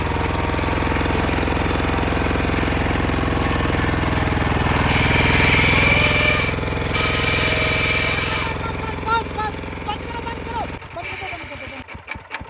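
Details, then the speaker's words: Mazowema diesel power tiller: fast, steady rattling hammer about three and a half beats a second over the engine; harsh grinding from broken gearbox gear teeth, shut it down immediately to avoid further damage. "अगर ऐसी आवाज आ जाए, ऐसी करकुर cutter आ जाए तो उसको बंद कर दें एकदम से, कुछ ज्यादा नुकसान भी हो सकता है मशीन के साथ, कभी ऐसा ना होने।"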